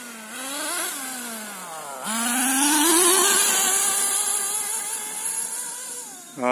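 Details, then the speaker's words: HPI Nitro MT with Nosram RS .18 Evo engine during break-in and tuning, low-speed needle untouched and high-speed needle still needing leaning: high buzzy revs sweep up and down with a rough fluttering burble at high speed, running rich on top. "it seems to be idling nicely can still hear it burbling a bit i haven't touched a low speed needle yet"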